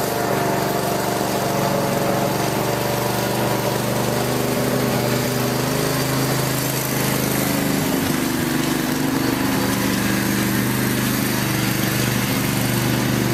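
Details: Craftsman lawn tractor after no-start repair with new carburetor parts including float needle valve, idle over a year, full gas tank: steady buzzing pitch with slight speed shift midway, no knocks or misfires; normal running.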